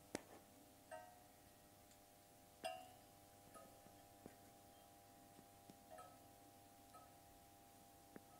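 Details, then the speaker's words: Defective 70 W high-pressure sodium lamp warming up, still white and trying to turn yellow: faint irregular sharp cracks over steady electrical hum as it expands. "Ja, jetzt versucht sie langsam gelb zu werden. Alter, die knackst richtig. Die dehnt sich aus."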